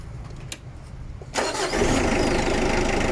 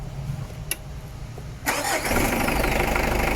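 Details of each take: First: Mitsubishi Adventure with a hard-starting complaint, after replacing alternator carbon brushes; short quiet lead-in, then the engine catches instantly and settles into a steady, even idle; normal start. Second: Mitsubishi Adventure with hard starting, two-week-old battery, cleaned starter and ground: cranking, then engine catches and settles into steady idle with light rapid pulse; charging present but slow response, charging side suspect.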